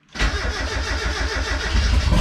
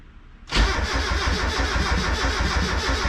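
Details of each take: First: First start of a freshly built turbo Miata with a new hood dump pipe, after the crossed fuel feed and return lines were fixed: short crank, then a clean catch into a steady, even idle with a deep note. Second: Turbo Miata first start attempt, clutch in: steady cranking thumps about three a second for five seconds without catching, with the gauge reading lean. A coil connector was not fully snapped in.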